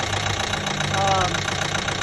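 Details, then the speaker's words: 2012 Chevy Equinox 2.4L after a new timing chain, cleaned oil pan, fresh oil and filter; knock began after about 10 miles: dull steady rapping at warm idle, before adding Marvel Mystery Oil; internal knock, source unknown. "put it together ran beautiful for about 10 miles and then this knock started"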